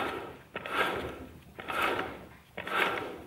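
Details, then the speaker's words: Manual gearbox removed from a 2011 VW Touran 1.2 L, turned slowly by hand: gritty rumble with each turn, suspected failed main shaft bearing, louder when driving; unconfirmed. "ich drehe jetzt nur mit der hand also im wenn er mit dem fahrzeug fährt dann ist das natürlich viel viel schneller dementsprechend auch viel lauter also in meinen augen ist da ganz klar die hauptquelle kaputt"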